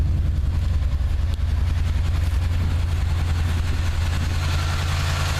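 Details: 1979 Chevy truck, 350 V8 with automatic choke: deep idle with an uneven, loping beat and occasional dropped pulses. Plugs are clean and unfouled and compression is sound. The idle misfire's cause is not yet pinned down.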